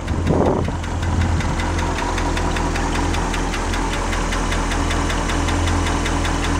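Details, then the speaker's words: International 345 V8, freshened engine, before the lifters were replaced: sharp, regular light ticking over a steady idle that keeps pace with engine speed; noisy lifter. "sounds like a lifter"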